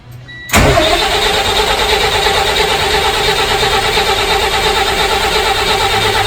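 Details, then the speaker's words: Freshly rebuilt transporter truck diesel started for the first time after the rebuild: short crank, fires at once and settles into a steady, even idle with no knocks or misfires; normal start. "Motor's all redone, everything under there. All the magic's in behind there. We're just about to start it for the first time."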